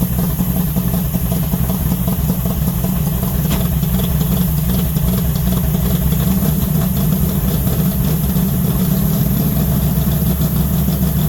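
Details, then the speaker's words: 1970 Charger 640hp Mopar stroker V8 revived after sitting, transmission separated, warming to 190° at 75 lb oil pressure: deep, slightly lumpy uneven idle; owner suspects timing needs work or new gas. "So, So, it sounds like her timing might need a little bit of work, but that could just be that the new gas in there."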